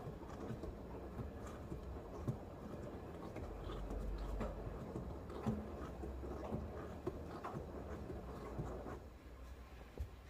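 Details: Low droning hum/roar under cabin road noise at about 50 km/h that disappears 2 km/h either side; suspected out-of-round tyre rather than a bad wheel bearing, unconfirmed.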